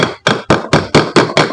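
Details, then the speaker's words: Water pump motor disassembly: eight firm, solid "tok tok" hammer knocks at about four per second on the stator core, still stuck tight in the housing; the sound changes to "krek" once it frees. "Ini suaranya kenceng ya, tok tok tok gitu ya. Nanti kalau sudah suaranya prek prek prek itu bisa lepas teman-teman."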